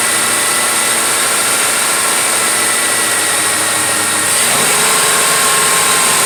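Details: 2006 Ford F150 4.6L after a new throttle body was fitted to fix no acceleration (gas pedal replaced first): steady, even, hiss-heavy idle that settles smoothly after a few seconds with no misses or knocks.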